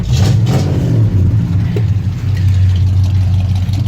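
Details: Old Ford F100 with a 3-speed, in neutral, after a new distributor, coil, plugs, wires and valve cover gaskets: a deep, even V8 burble that revs up smoothly and settles back without misfire or stumble. Running healthy, unlike when bought.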